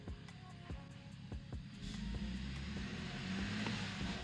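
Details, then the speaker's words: BMW 340 Gen 1 B58 turbo petrol with big single turbo, stock motor, wastegates taken apart and refitted so they now stay closed: quiet even idle with soft regular ticking, no hiss or flutter; normal idle. "As you guys can tell when we started it up, it was actually really quiet because the wastegates aren't open anymore."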